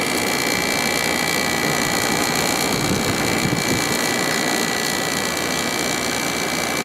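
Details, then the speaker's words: 2003 GE 12,400 BTU, 11.7 A window air conditioner made by Samsung, after cleaning, compressor started with temperature set lowest: steady, even hum and airy fan rush with no knocking, rattling or cycling; normal compressor operation. "It seems to run nice and smooth."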